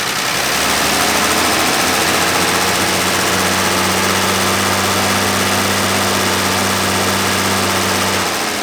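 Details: Dodge Dart Swinger (A-body Mopar survivor) with 225 Slant Six and single-barrel Holley, revival start from key after sitting: catches and settles into steady low idle under heavy hiss, no knock or miss; pulling clean gas from tank, fuel line good.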